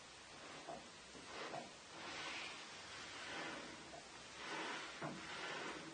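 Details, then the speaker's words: Harrison M300 lathe, unpowered, saddle refitted on oiled ways without retaining strips, moved by hand: smooth until near one end, where a soft dry swishing rub rises and falls; something rubbing, cause unclear. "something seems to be rubbing there not quite sure what that is"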